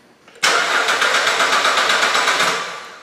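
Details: 2008 Suzuki XL7 3.6L towed in crank/no start with P0335: steady cranking about four turns a second, never catching; crankshaft position sensor fault, sensor buried.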